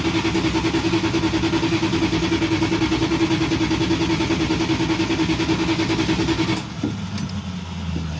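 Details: Van that sat about two months with good fuel added: steady, fast cranking at about three beats a second for six seconds, then it stops without catching; crank, no start, with spark or fuel suspected.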